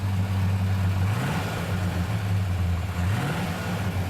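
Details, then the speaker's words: Last cold start of a V8 truck engine before it is pulled: deep, lumpy idle rumble with two quick revs and the light valvetrain tick of its solid lifters. "Hear them solid lifters, ready to kiss them bye. Be the last time you're going to hear that probably."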